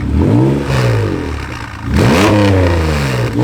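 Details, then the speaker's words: 1991 Acura NSX started after sitting outside for years, check engine and TCS lights on: two sharp revs rise and fall with a rough rattly edge under the exhaust; owner unsure whether a big exhaust leak or misfire. "I don't know if it has a big exhaust leak or maybe it's misfiring, but it kind of sounds like it's rattling kind of"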